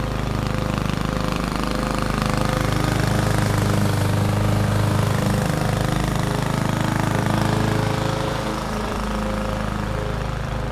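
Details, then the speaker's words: 21-inch Husky push mower (11A-B2M7031), Powermore OHV engine, fresh oil, started first pull: even, steady single-cylinder drone holding speed while mulching grass, no misses or knocks; healthy under load. "no issues to report it started first pull and had absolutely no issues mulching the lawn and I've got to say I'm pretty impressed with the power more engine"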